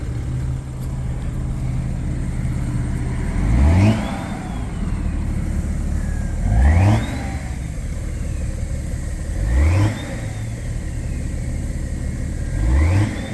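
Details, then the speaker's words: 2010 BMW 335d diesel, 168 mileage, tuned with pollution devices removed, cold start, recorded under the hood: four quick blips each rising cleanly and settling to steady idle; revs freely, sounds healthy. "current mileage 168 um again sounds good revs nicely"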